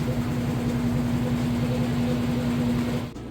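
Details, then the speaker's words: GE direct drive top-load washer, medium casual cycle, super load, end of final high-speed spin: smooth steady motor hum, no thumping or scraping, then stops; normal spin. "As you can see, with that high speed spin cycle, nice smooth operation. The machine is nice and balanced. It's good to go."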